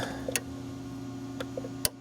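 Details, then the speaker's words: 2002 GMC Sonoma 2.2L with misfire and inoperative secondary air pump (P0410): the air pump relay beside the battery clicks sharply over a steady low hum when energized, working on the control end; its fuse turned out bad. "you can hear it. The relay's clicking. So that works on the control end."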